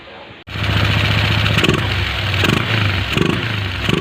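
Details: Small motorcycle after a thorough carburetor cleaning, fixing weak pull, hard starting and a hunting idle: engine fires up into an even idle and takes several quick revs without stumbling, tested at low and high rpm.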